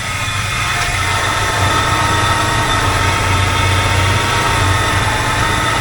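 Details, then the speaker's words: 1985 K20 carbureted V8 after installing a new Edelbrock 1906 AVS II carburetor and tuning; starts instantly where it previously cranked many times. Smooth, even idle with steady low burble, no misses or hunting: normal idle. "I'm going to start it up and you can see that this thing starts on a dime doesn't sit there and try to crank anymore before it had to turn quite a few times to get it to start"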